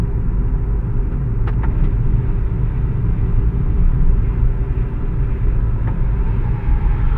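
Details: VW MQ200 02T gearbox with a failing bearing, driven about 50-60 thousand km with the damage: a heavy, low rumble while driving sits under everything and rises with road speed.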